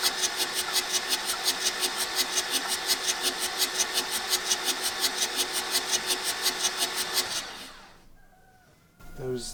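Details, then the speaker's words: 1984 VW T3 single cab, 1.6 diesel, long unused junkyard truck, glow plugs removed; even cranking about five pulses a second for seven seconds, no firing; fuel confirmed at injectors, owner suspects low compression, broken pistons or rings. "fuel coming out of these so that's not our issue so the next next testing to test out is the look for a compression if it has any and after that we need to take off the head and look for any damage"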